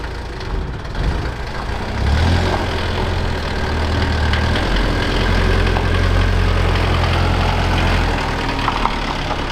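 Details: Civil-defence Mercedes T2 406D diesel, started from cold after preheating the glow plugs; leaking water pump not yet repaired. Catches and settles into a steady, even clatter of about four beats a second with a low rumble. Healthy idle.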